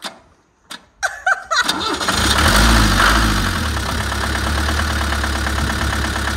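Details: Diesel-engined vehicle started on a count of three: a few starter clicks, a brief crank, then it catches within about a second and settles into a steady, even diesel idle. Normal start and idle.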